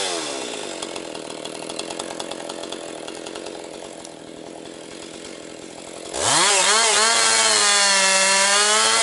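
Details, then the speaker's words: Husqvarna 262XP chainsaw after rebuild, breaking in with rising compression, bucking low-grade pine firewood: high steady two-stroke scream dipping as the chain bites, then a strong, even wide-open howl; running strong and holding idle well. "It's uh running really strong now. Now she's breaking in that uh really picking up power."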